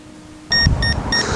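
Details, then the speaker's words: EZ-Net portable satellite internet dish outside with elevation preset, finding tool on TX cable: high intermittent beeping showing the dish is close to the signal but not yet aligned. "now we can hear that beeping and that intermittent beeping confirming we're close but we'"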